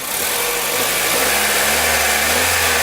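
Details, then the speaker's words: Kia Rio G4EE engine on first start after rebuild: steady idle with a thin, high squeal from new piston rings bedding against the liners; runs quiet, no smoke, squeal considered normal for a freshly rebuilt engine. "Это звук хороший, это звук нормальный. Для ремонтов, которые вернее, для двигателей, которые после ремонта, значит, они, как правило, вот такой звук и издают."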